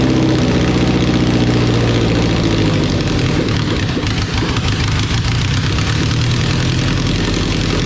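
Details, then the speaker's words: Honda Civic EK D-series engine after first start with swapped ECU and conversion wiring: steady even idle, low rumble and smooth regular beat, no knocks or misses; healthy idle. "oh [ __ ] yo this [ __ ] [ __ ] runs and smooth as hell I can't believe this [ __ ]"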